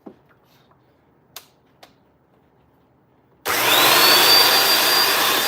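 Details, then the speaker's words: Bissell 2X vacuum with no-suction complaint, being tested on the main base with brush spinning: after a quiet pause the motor spins up to a steady high even whoosh, no surging; normal running, suction present at main base. "The first part is done. Suction is at the main base of the machine."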